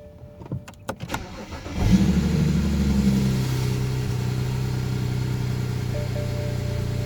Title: bmw e90 335i idles up and down bad injectors 1 and 2 cold start